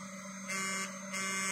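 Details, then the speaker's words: Motorcycle LED projector headlight (Beat FI, Titan 1.1 50/60W plug-and-play kit) whose 5-volt cooling fan runs on 12 volts: a loud, steady high-pitched buzz with a hum underneath, rising in steps, with strong vibration, because the fan is overdriven. "Ini tuh suara kipasnya kencang banget loh tuh berisik loh dia loh ini 5 volt"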